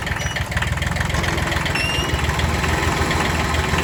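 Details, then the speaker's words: Kubota B6100 diesel tractor idling, in gear with clutch held down: rough uneven rattle, disappears out of gear or in neutral; worn clutch pilot bushing. "Take it out of gear, it goes away. And the clutch is fully in and it's rolling. That's another symptom. Okay. And nothing when it's in neutral. Clutch in and out. So it's got to be in gear, and it's when you press the clutch down that it happens."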